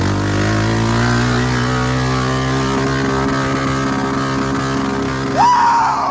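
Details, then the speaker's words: 2002 Honda Rancher 350 ATV held flat out at high revs, note stuttering evenly as it bounces off the rev limiter. "Rev limiter, baby. You hear that? That's unbelievable."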